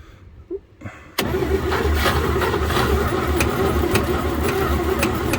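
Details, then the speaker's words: 1949 Chevy truck on a cold start attempt after 24 years, cranked on a jump box at about three turns a second, never firing; the fuel pump hasn't drawn any fuel yet, and the owner says the points may need filing. Crank, no start, suspected fuel starvation. "Well, that was the first shot. We're gonna let it charge for a minute. Almost. It hasn't sucked anything in yet."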